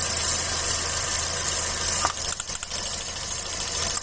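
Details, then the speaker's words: Engine idling with a plug lead pulled: uneven, lumpy idle that shakes more as one cylinder isn't firing due to an oil-fouled spark plug; replacing the plug brings smoke from the exhaust. "Ó, agora você percebe tremendo porque tá necessitando do cilindro. Automaticamente, quando queimou por óleo, você troca a vela, vai dar uma fumaçada lá atrás pelo escapamento, tá bom?"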